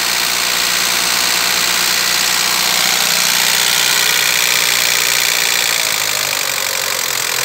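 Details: Roughly 20-year-old Chevrolet Vectra B with an electrical fault in the wiring harness: idle sits high and surges and sags unevenly instead of settling; idle drops once the harness is handled, confirming a harness fault.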